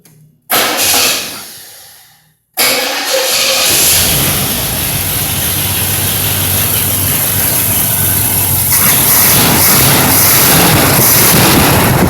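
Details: Rebuilt Pontiac 455 V8 in a 1976 Trans Am, about the third startup after setting base timing, loud non-clutch fan: fires and settles to a steady idle with no clicking, ticking or knocking heard; normal idle.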